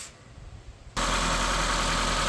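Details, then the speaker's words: 2016 Ford Fiesta SE after valve cover gasket replacement: engine starts at once and settles to smooth, even idle with no ticks, knocks or leaks; healthy start. "Okay, there we go. No leaks. Sounds good. No weird noises, nothing, which there shouldn't be."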